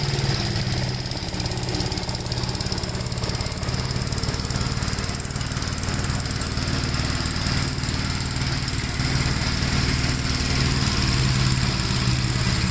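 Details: 1957 Gravely with a smaller 12-volt battery fitted, mowing soaked grass: an even, unbroken low single-cylinder chug keeps a constant beat while cutting, with no stumbles or rattles. The healthy engine has power to spare.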